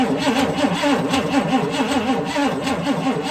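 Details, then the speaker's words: A 1959 Chrysler Windsor with the 383 Golden Lion V8, a non-running junkyard car, is cranked before the ignition is turned on. The starter whirs in a rise-and-fall rhythm with one lighter beat per cycle, showing one obviously weak, low-compression cylinder. "cranks there's one obviously weak cylinder but it doesn't actually sound that bad"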